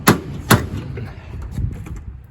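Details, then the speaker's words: 1966 Dodge Dart GT, Slant Six 225: two sharp metallic clunks as the door is opened, the door pinched and binding at its top edge; door clunk from a misaligned door. "you hear that and the clunking sound of the door opening."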